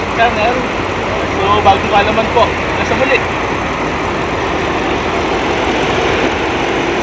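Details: 2015 Audi A8 L, whistling PCV oil separator issue: low, even idle hum with a few brief voices at first, no whistle or hiss, steady and smooth throughout; normal idle.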